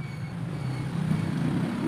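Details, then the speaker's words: Asahi stand electric fan on speed one: a steady low electric hum with no blade whoosh; the powered motor is stalled and will not turn. "Yan kung naririnig niyo ay may ugong. Ayan oh. Pero ayaw niyang"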